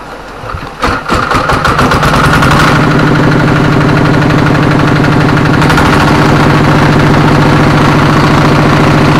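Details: Kubota RD85DI2S single-cylinder tractor diesel, after repair of worn piston and bearings; complaints were fast radiator water loss, oil from exhaust and sputtering. Hand-crank start catches quickly into an even, steady thump of about 3.5 beats per second; healthy idle.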